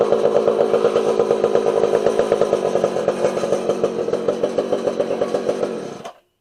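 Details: Homelite 240 chainsaw after carburetor adjustment (low jet and idle screws each turned out in half-turn steps, idle raised): small two-stroke buzzing at a steady rate with crisp even firing, then cutting off cleanly; running properly.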